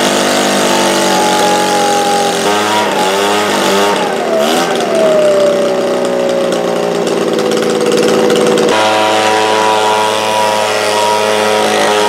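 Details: Echo leaf blower two-stroke, after carburetor cleaning of gelled fuel: high steady buzz, then bogs and wavers before settling; engine lacking power, debris felt from exhaust, improving as it runs; exhaust to be checked.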